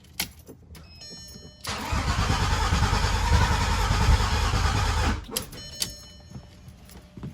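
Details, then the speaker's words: Freshly built VW VR6 engine after fuel filter O-ring replacement and part swap, cranking: starter spins at an even rhythm for about three seconds, never catches; cranks but no start, cause unconfirmed, oil leak found afterward. "I don't know if the sensor's reading or not. All right, so that's obviously not working, but we got another issue."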